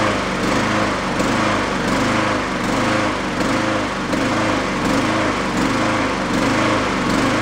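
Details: Yard-sale Honda mower after fitting a slightly larger jet; revs rise and fall roughly every three-quarters of a second in a steady surge; the larger jet didn't help, hunting from a clogged idle circuit; runs decently on partial choke.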